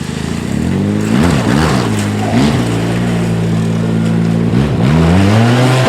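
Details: 2010 Arctic Cat Z1 Turbo after replacing the heavy, hot OEM muffler with an aftermarket can: loud crisp blips rising and falling cleanly between steady idle, throaty exhaust pulling without stumbling; healthy running.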